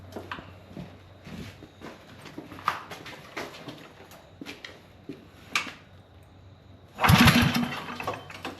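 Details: Crusty old go-kart engine that has been sitting, being revived. Scattered pull-cord rasps and brief sputters never catch into a steady run: it cranks but won't start.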